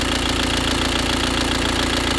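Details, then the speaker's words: Audi A4 2.0 diesel, 66 plate, four days after timing belt replacement, running lumpy with no power: loud harsh idle with fast even rattle-knock over the rumble; rough noisy idle, cause unknown. "As you can hear, the engine running. It's not running well. Loud, noisy."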